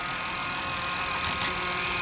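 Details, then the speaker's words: 2013 Honda Pilot at 150k miles after a power steering flush, timing belt, valve adjustment and radiator service: idling with a faint, steady high power steering pump whine from air still in the system; the earlier clicking noise is gone. "Alright, I still got a little power steering whine because of the air in there, but"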